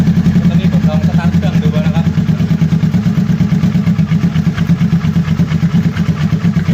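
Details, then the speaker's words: Kawasaki ER6n twin after engine flush and oil change, warming up: low steady idle thrum with even pulses, no knocks or ticks, smoother and quieter than before; normal idle. "มันมันนิ่งกว่าเดิมเงียบกว่า[เพลง]เดิมเดี๋ยววอร์มวอร์มเครื่องซะแป๊บนึงครับ"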